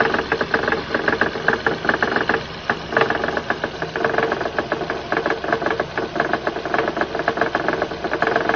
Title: Honda Odyssey 2006 engine knock. It's not the timing belt tensioner.